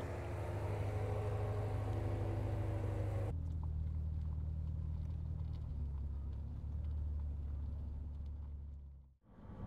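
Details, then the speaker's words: BMW M6 driving after flywheel repair for a noise heard following a road trip, gearbox oil refilled, new downpipes fitted: smooth even engine drone, no clunks, rattles or grinding, noise gone, drivetrain feels more connected; normal running. "And finally, that awful noise is gone. And not just that, the drivetrain is so much more connected now."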